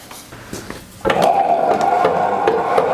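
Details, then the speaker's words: Homemade treadle lathe spinning after a crank mechanism repair: sharp wooden knocks repeat irregularly over a steady hum. The clunk comes from play between the steel axle and the flywheel flange; the owner is unsure of the fix. "actually hear that clunking noise is is the play between the axle and the flywheel"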